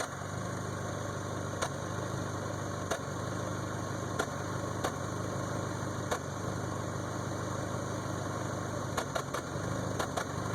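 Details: 1992 Toyota Camry 4-cylinder with rebuilt engine: low steady idle broken by irregular sharp ticks and stumbles about every second; misfire.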